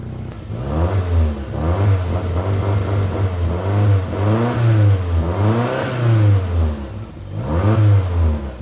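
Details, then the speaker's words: MR2 turbo petrol engine after turbo upgrade, new ECU, injectors, coils and fuel system: repeated blips in a garage with a raspy chuffing edge; suspected exhaust leak from something left loose or poor fit. "Got an exhaust leak. I either forgot to do something up or it just doesn't fit."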